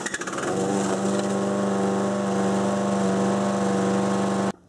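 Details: 6 hp Briggs & Stratton engine on a Murray mower deck at wide-open throttle, before governor adjustment: steady buzzing drone with low, flat pitch as the governor holds engine speed down; low governed engine speed.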